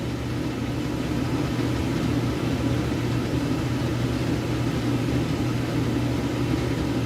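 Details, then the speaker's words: Gentleman Janitor GJ-5 coal stoker boiler: motor drives the blower with a disc air adjustment, and split pulleys set the auger feed, which is turning very slowly; smooth, constant hum and airy rush with no knocks; running normally. "this motor turns this blower in here this this big uh disc here is the air adjustment [Music] and you adjust the feed rate with these split pulleys making them bigger or smaller right now the auger is turning very slowly"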